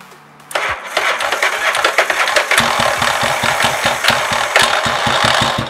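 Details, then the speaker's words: 1985 Yamaha Virago XV700 V-twin, cold, cranked before fitting a voltage stabilizer: starter grinds, then rapid uneven chuffing as it struggles to fire; the starter draws so much current that the spark unit gets too little, giving weak spark and a hard cold start. "the spark plug unit does not have enough electricity so that's why we need additional stabilizer to provide death"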